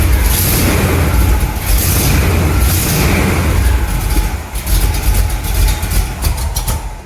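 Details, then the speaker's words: 1975 Chevrolet C10 with a salvaged used brake booster, engine running steady. Bursts of hiss come over the engine and fade away, which sounds like a vacuum leak; a busted booster diaphragm is suspected and the booster is judged no good. "Oh, really? That doesn't sound good. Might be a busted diaphragm in there. That did not sound good. That brake booster is no count."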